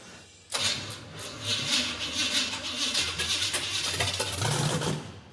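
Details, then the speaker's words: Model A hot rod with a tunnel ram, first start just after a cylinder head swap. It catches and runs rough with sharp pops and spits over a ragged idle. It is flooding: gas gushes from the carburetor boosters, causing lean-pop backfires, with the needle and seat stuck or misadjusted. "now the problem is it's gushing gasoline out of the boosters and therefore the slightest lean pop backfires."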